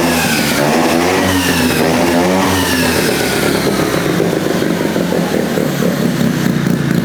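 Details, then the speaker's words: Rotary-swapped Honda QA50 minibike, sat six months, started on third pull with choke on: crisp rotary exhaust note, revs rising and settling smoothly, no misses or rattles; running clean and healthy. "It started up like a champ. It's been sitting for 6 months and it started in 3 pulls."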